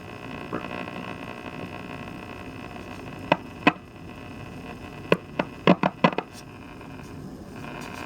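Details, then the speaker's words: Audio fault in a 1960s GE C-403G tube clock radio after a new tube and two replacement caps to cure hum: low steady hum under a distorted, garbled station with clicks and pops; cause not yet found. "Okay, so you got some station here. Sounds kind of garbly though."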